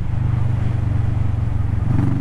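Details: Kawasaki Vulcan S after repair, riding in about 5th gear at 35 mph and accelerating: low, even drone that pulls steadily without stumbling, popping or cutting out, where before it faltered after 3-5 seconds of throttle at 20-40 mph; it sounds healthy.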